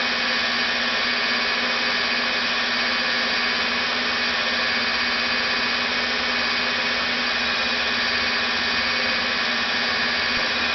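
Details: Rebuilt NetGain WarP 9 DC motor seating new National T300 brushes, idled by an EVNetics Soliton1 after about 40 hours of running. Steady, even mid-pitch hum with no dips, around 900–1000 rpm before an unexplained slowdown below 900. Normal idle.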